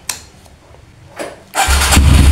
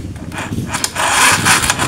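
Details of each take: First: Kawasaki KLX with a new battery that drops overnight and won't crank in the morning, battery fully charged, repeated starter test: brief click, starter spins briskly, engine catches into a strong, even rumble; 13 starts, battery judged normal for now. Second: KLX 150 whose owner reports weak starting after sitting overnight and even after riding, despite a new battery: starter motor fails to crank, giving only short scraping bursts and clicks at the button, like a weak battery; cause not yet confirmed.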